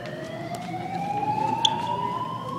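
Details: Greenwich High School fire alarm going off repeatedly during testing, with strobes flashing. A loud unbroken electronic tone climbs slowly in pitch over a few seconds; the alarm sounder is sounding normally during the test.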